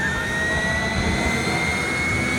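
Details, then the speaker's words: Abandoned Lear Jet bought at auction, engine start attempt after years: steady rising jet whine with thin high tone climbing slowly as the turbine spins up; normal spool-up during start. "And now it's spinning up. Let her go."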